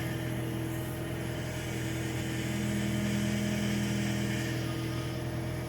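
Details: Fiat Uno Vivace at idle, recorded at night with the door shut: a thin steady whine that rises briefly, worse turning the wheel. The power steering fluid is well below the mark, and topping it up follows. Power steering pump whine from low fluid.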